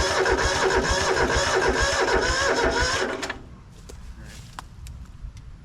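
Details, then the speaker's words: Rusty Hinomoto (Southern) diesel tractor, unstarted for 2–3 years, glow plugs fed through thin leads: slow, labored cranking of about three compression pulses a second that never catches. Owner suspects the weak battery and leads can't power the glow plugs. "I don't think this battery is going to be good enough. We're probably not passing enough amperage through this wimpy little lead for the glow plugs."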